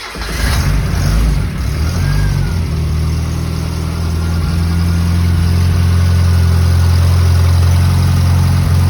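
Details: 1977 Holden Gemini with second-hand replacement engine (after head gasket and timing chain failure), first start after oil system bled; no ECU cold start. Catches after a brief crank and settles into a steady, even low idle, no knocks; oil pressure good, running healthy.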